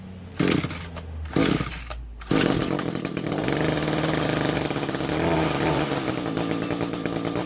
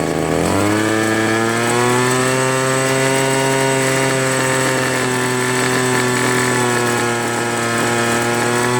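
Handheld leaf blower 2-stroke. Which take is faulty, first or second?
second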